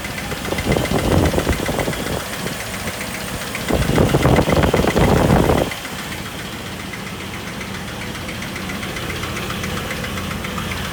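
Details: 2000 Jeep Wrangler TJ 4.0 inline-six after overheating and losing all coolant: steady quick tick of about four per second following engine speed and louder on throttle blips; loudest under the engine and at the water pump, cause unknown.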